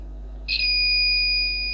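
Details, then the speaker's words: Buzzer connected to a computer power supply started without a motherboard (green and black wires shorted), here on the 5 V output; steady high-pitched buzz over low hum, showing the 5 V rail is live. "සද්දයක් එනවා මේ what පහ ඊළඟට මම what 12ට දෙන්නම්"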